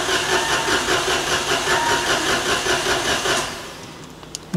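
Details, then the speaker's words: Citroen AirCross 1.2 three-cylinder 82 PS petrol on jump start, with immobilizer issues shown on the scanner: starter spins briskly and evenly about three seconds, cranking fast enough, but the engine never fires or catches. "mean it's cranking fast enough"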